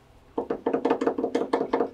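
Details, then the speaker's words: 1984 Mercedes-Benz 300D on a lift after years of sitting: sharp hollow knocks, about seven per second, as the sway bar link is rocked by hand; worn sway bar links need replacement. "yep you don't want to hear that in a nice mercedes going down the road you need sway bar links"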